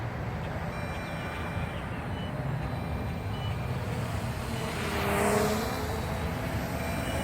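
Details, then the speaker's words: MJX Bugs 8 quadcopter flying outdoors: faint, high repeating low-voltage cutoff warning beeps with flashing lights over heavy wind and the drone's buzz. "I'm getting the lvc warning down though let's see if the quad is beeping now you guys can hear that and the lights are flashing too"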